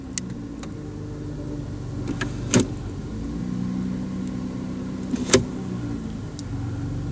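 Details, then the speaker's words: 2008 Hyundai 3.3 V6 after a starter motor replacement for an odd noise: quiet, even idle with a steady low hum and a couple of light clicks, no starter whir or grinding; normal idle. "everything sounds good now"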